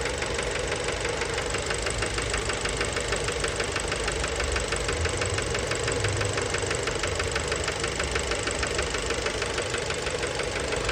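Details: Fiat Bravo 2 1.4 T-Jet 150 HP, 215,000 km, after recent maintenance, close-up on engine: idle with steady metallic knock about three times a second over rattling; worn rod knock, cause unknown, car scrapped.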